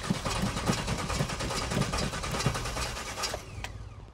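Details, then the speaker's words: 1991 GMC Suburban off-road build stalled on the trail and won't restart: uneven starter churning about three turns a second, cranks but never catches; no fuel suspected, not confirmed. "no fuel well we broke it just not in the way we wanted to"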